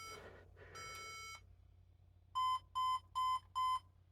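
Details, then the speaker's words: HP ProDesk 600 G3 Mini fitted with a non-T CPU: at power-on, POST beeps 3 long then 4 short, even ~1 kHz tones, indicating a power supply fault; a 90 W adapter was tried next. "Well, that's 3 beeps, 3 long followed by 4 short. Now, interesting, I'm looking up 3 long, 4 short, and it's talking about power supply."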